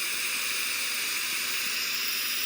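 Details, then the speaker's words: Nitrogen purge set very low before brazing copper refrigeration pipework: a steady, soft hiss of gas flow with no surging or pulsing, just barely audible. "pressure is. Listen to it. I'm going to get it even lower. You can just about hear it now."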